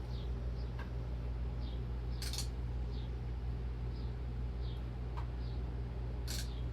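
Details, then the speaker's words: 36-inch antique Emerson Roundnose ceiling fan, tested on capacitor/solid-state speed control: low steady motor hum with a few light clicks, no crunching or grinding; judged silent running. "I'm fine calling it silent. We don't count any noise that the motor makes"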